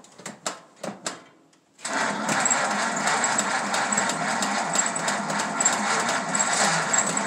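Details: 1934 Ford sedan, rebuilt original 1934 flathead V8, first start in 30 years after distributor and coil rebuild, new plug wires, cylinders lubricated, oil changed, temporary gas can, no choke; cranking clicks, then catches into even steady run with light ticking patter.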